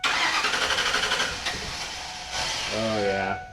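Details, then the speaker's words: Long-abandoned SS Minnow boat car: cranks at about four turns a second, catches briefly on starting fluid and dies; engine is good but gets no fuel. "Just not getting any fuel. So, we could hook up a little like water bottle of fuel."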